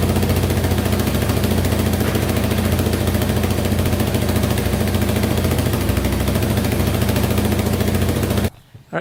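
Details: Yamaha Wolverine 350 4x4 ATV after carburettor cleaning and top-end rebuild, first start back together with no smoke yet; steady single-cylinder putter with even firing pulses and no misses, idling smoothly and cleanly.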